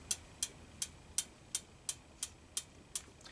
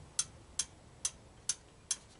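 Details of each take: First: Honda ATC200M three-wheeler, valves adjusted slightly loose: crisp, light ticks about three a second as the exhaust valve slaps fully closed with play in the follower linkage, normal valve clearance tick. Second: Honda ATC200M three-wheeler being revived from non-running, engine turned over in a quiet room: five crisp, light ticks about every half second as the exhaust valve slaps and the intake valve lash is loose; excessive valve clearance.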